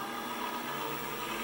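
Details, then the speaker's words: Precision Matthews PM-728V-T mill spindle running over 4000 rpm (4375 rpm): steady, even high-speed whir with no knocks, rattles or surging, nice and smooth; normal spindle running at high speed. "high RPM over 4000 rpm I love it sounds great it's nice and smooth this is awesome"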